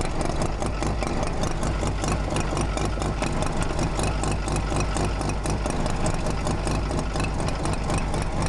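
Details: Mazda RX-7 FC bridgeport rotary: loud choppy idle with quick regular light clicking at a steady rate; clicking noise from the engine.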